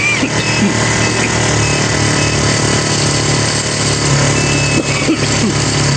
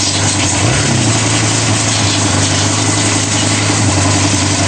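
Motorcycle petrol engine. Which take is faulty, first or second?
first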